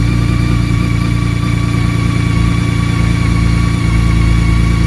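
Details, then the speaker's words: 2019 BMW K1600GT, 20,430 miles, cold start after nearly five months stored over a Minnesota winter on premium fuel with no stabilizer, battery on tender: steady even idle hum, smooth fast pulse, no knocks, ticks or hunting; normal cold idle. "Burn like a kitten. Okay. Okay. Well, there you have it."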